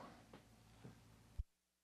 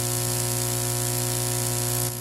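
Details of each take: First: Parts Express 240-398 line matching transformer, unit three after reconnecting its cable shield, previously hummed badly: only a faint low steady hum under room noise, then click and near silence; quiet output, clean. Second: Parts Express 240-398 line matching transformer whose cable shield is unconnected, an unshielded twisted pair on a high-impedance unbalanced signal: a heavy, constant low hum for several seconds, then near silence once disconnected.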